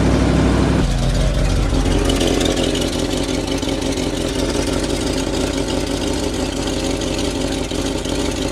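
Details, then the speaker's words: 1979 mini motorhome with cold carbureted engine warming up at idle; loose, uneven rattle underneath over the rumble, from the exhaust gasket rattling around, consistent with a loose exhaust flange and blown gasket. "so I was just idling the car getting it up to temperature because old cars really especially carbureted cars don't really run great until they drop the temperature and I'm like what is that noise I'm hearing like a rattling under the car"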